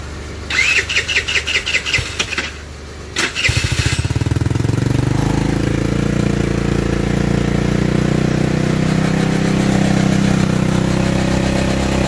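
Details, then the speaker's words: TaoTao Racer motorbike that would not start, after battery and valve adjustment; a few seconds of cranking, then it catches and settles into a steady, even idle with no misses: normal start and idle. "but yeah see the the Bike Works just the battery valve adjustment we also got to do the rich and lean adjustment"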